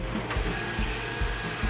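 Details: Stuart Turner Monsoon water pump, which had been humming or not starting, running with a tap open after replacing the PCB board and starting capacitor. Steady hum with soft regular pulses, sounding normal.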